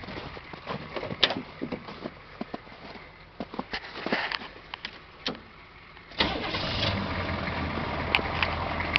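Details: 2005 1010 in the snowy north, already warmed up: a short crank, then it catches at once and settles into a steady, even idle with no misses or knocks; normal warm start and idle.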